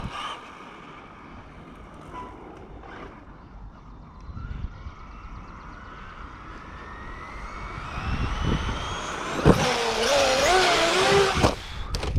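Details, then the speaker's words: Traxxas Maxx Slash RC truck on a rough run: the electric motor whine climbs with speed, then cuts off abruptly as the ESC dies. The owner suspects the battery connector. "W come on oh you can hear the ESC die again which means battery connector"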